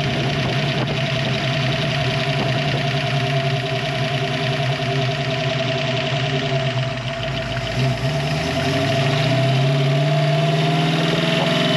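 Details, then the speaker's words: 1966 Mustang Fastback, 302 stroked to 347 with hydraulic rollers, freshly built, idling with a quick sewing-machine tick over the rumble, heard at idle and driving; loose valve lash — valve train tick. "the reason why is I've developed a little bit of a ticking sound or the stereotypical sewing machine ticking that you can hear when the car is idling or even when you're driving foreign"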